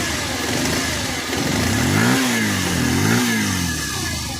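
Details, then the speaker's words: Bajaj Pulsar 125 E20 at about 5,837 km, opened after a tik-tik and rattling engine noise, electric-started after repair: clean, even exhaust note through smooth blips; the earlier rattle is gone. "पहले जो भी sound था झरझर का सा sound खत्म हो चुका"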